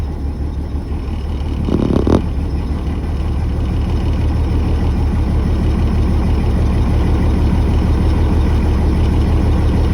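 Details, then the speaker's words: 2003 Blue Bird 3800 school bus, DT466E diesel, cold start at 11°F, not plugged in, unused about a week, started with ether and jumper cables: steady, even low diesel rumble settling with no knocks or misses, building air; normal cold idle. "now let's see if she builds air yeah it seems to be building air so I guess our work here is done um yeah 11° cold start"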